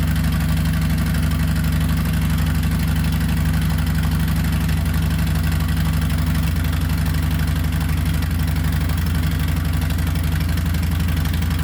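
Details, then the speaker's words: 2020 Harley-Davidson Softail Street Bob with newly installed Two Brothers Racing 2-1 Shorty Turnout stainless exhaust: loud, deep, lumpy idle pulsing steadily about four beats a second, even and unbroken; louder, deeper than stock, healthy engine. "Finally, Harley sounds like a Harley should from the factory. It is definitely a lot louder, a lot deeper tone, as you heard."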